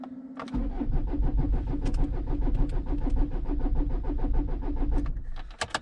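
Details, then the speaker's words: Renault Espace III 2.2 dCi with about 12 L of oil in the engine and a suspected head gasket fault; the battery may be weak. The starter cranks steadily for about five seconds but the engine never fires. "ça démarre pas je sais pourquoi je crois à savoir c'est parce que non j'ai pas d'hypothèse"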